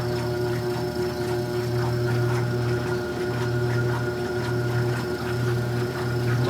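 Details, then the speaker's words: 1978 Maytag A408S or 1989 Maytag A482 washer, first run after unwinterizing: even motor hum and soft swish as it pumps water out and spins up, quiet pump, no knocks or leaks; spinning and draining normally. "after that it starts to pump water out and spin up a little more there you go"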